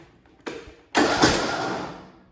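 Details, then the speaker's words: Briggs & Stratton single-cylinder Intek engine, valve cover off: starter whirs briefly then stalls abruptly against compression, twice; the camshaft compression release is not working, though the engine runs fine once past compression. "the compressor release valve inside the motor is not working"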